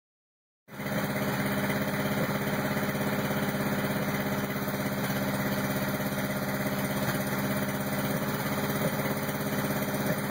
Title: Rough idle 86 crx